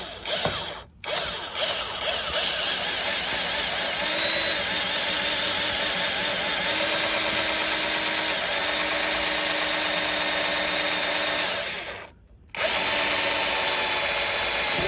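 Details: Drilling out the front door joint on a 2004 Toyota Sienna to fix a door pop/click noise, ahead of riveting. A steady mid-pitched drill whine with no stalling after switching from a cheap bit that wouldn't cut; the bit cuts cleanly through the metal.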